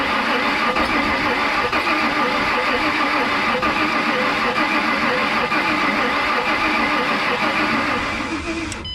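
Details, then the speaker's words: 2007 Ford Mustang V6, accident-totaled, reportedly sat a year, spark plugs cleaned, starter fluid added: starter churns steadily about three turns a second but engine never catches; crank no start, owner suspects it sat longer, cause unconfirmed. "well that sucks guys this thing wants to fire I don't understand now we've got our spark plugs cleaned"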